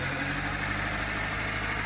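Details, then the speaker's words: 90s Subaru Sambar KS4 carbureted engine at warm idle after timing and mixture set, idle speed adjusted by ear and backed down slightly: smooth, steady hum, even beat, no stumbling or hunting. "yeah nice sounds good let's just back it down that sounds really nice"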